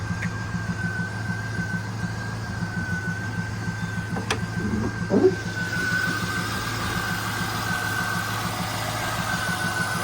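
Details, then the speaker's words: 1998 Pontiac Trans Am with a new alternator, after residual belt material was wire-wheeled off the harmonic balancer that had been ticking: a steady, even idle with a smooth low hum and no ticking or knocking. "Not making any horrible funky noises."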